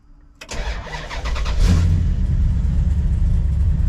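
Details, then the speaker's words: V8 with vacuum advance distributor at 22 degrees base timing, no-throttle start with a basic Dakota starter and trunk-mounted battery: brief even crank, then catches straight into strong steady idle with no starter kickback; normal start. "I didn't hear that starter going rah, rah, rah, rah, or kicking it back."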